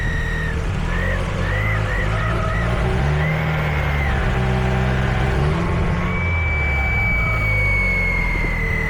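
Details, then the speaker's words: 1990 Mazda Miata with a homemade intake, idle control valve set to zero and idle screw fully in, timing not yet synced: idles high at 1200 rpm with a thin wavering whistle; vacuum leak, and a smoke test found many leaks. "now I haven't sync timing yet and it could be a timing thing I highly doubt it especially if you guys listen you can hear that little weird woring"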